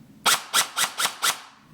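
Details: MCX gel blaster that had stopped working, after motor rewiring, battery connected, fired on semi: five crisp evenly spaced shots about four a second, cycling cleanly without grinding or hesitation; a loose screw found afterward. Normal gearbox cycling.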